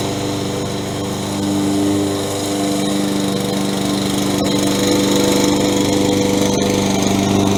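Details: Toro 20374 self-propelled mower after replacing stripped plastic-gear rear drive wheels with metal-gear wheels (part 137-4835) and new pinion sprockets: steady, even engine drone with no knocking or grinding; the mower runs and drives smoothly.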